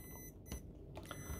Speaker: beeps which you can probably hear and it also shows zero on the display